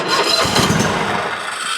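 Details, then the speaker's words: Toro Titan HD zero-turn, 24.5 hp Toro-branded V-twin with about 378 hours that dies after 20 minutes hot, started with one spark plug unplugged: fires up quickly on one cylinder, runs briefly then shut off; that cylinder is good. "So, it fires up on that side. I could have left it running, but I've got all the doors here closed this morning. It's still pretty early, but it fired up. So, we know that cylinder is good."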